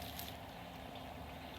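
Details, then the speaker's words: Small boat bilge pump rated about 1,100 gallons per hour, wired brown-positive, just switched on to drain water from a channel and well: steady gurgling and splashing over a quiet pump hum. It is pumping normally. "There it is. You can hear it coming out of here. Pretty good."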